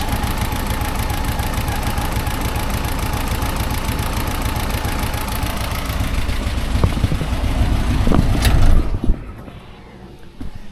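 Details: 1954 civilian Jeep four-cylinder after new points and a dwell adjustment to about 36. It idles with an even, steady chug for about eight seconds, then shuts off cleanly. No misfire; the ignition is running right.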